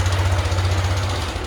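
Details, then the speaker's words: Yamaha NMAX 160, 2017, 37,000 km, noise began climbing a hill: fast, heavy, loud metallic clatter at steady revs; worn camshaft bearing, mechanic suspects, engine had been condemned. "Barulheira danada. Pode ser rolamento do comando, né?"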